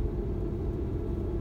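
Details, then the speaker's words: Citroen turbo petrol after fixing misfire, limp mode and codes P0087 P0313 from low fuel rail pressure, no parts replaced: steady, even rumble while driving, no stumbles or knocks, warning lights off, no codes; normal engine running. "Zobaczcie nie dzieje się nic zero błędów nie ma niczego kontrolki są pogasz wszystko"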